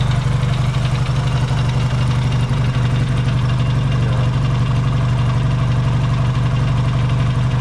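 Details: Yamaha XS650 twin, cold start in an unheated shop: deep, steady idle with even low thumping, no misses or knocks; warming cleanly.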